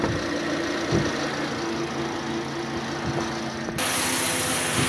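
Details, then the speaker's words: Toyota Vios dual VVT-i idling with air conditioning on, after alternator carbon brush repair: uneven knocking rattle about four per second; worn AC compressor pulley needs replacing. "dami palang problema nito idol compressor pole yan compressor pole palitan natin"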